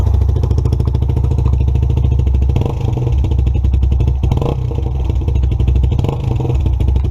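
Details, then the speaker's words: 2017 Lexmoto Adrenaline fuel-injected motorcycle after a sensor fix: deep low idle, completely cold, a touch uneven but holding steady without stalling or hunting; running fine. "bikes happy as Larry sound a little bit rough there but that was completely cold"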